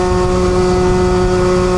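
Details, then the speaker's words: Piaggio Typhoon 2-stroke scooter with a newly installed Stage 6 R/T Overrange variator kit, on a road test: the engine holds a high, steady buzzing pitch without pulling and tops out at 43 mph. Owner suspects the variator setup; the previous setup was better. "And it feels slow. 43 mile an hour, that is terrible. That's absolutely terrible."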